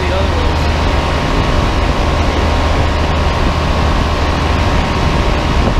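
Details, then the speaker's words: Giant Trane Intellipak rooftop unit: constant deep hum with faint steady tone over fan rush, no knocking or rattling, a large Trane scroll compressor running, healthy. "pretty loud i'm not sure if the other ones are going to turn on i'll walk around and show you the other units i think only one of the compressors turned on"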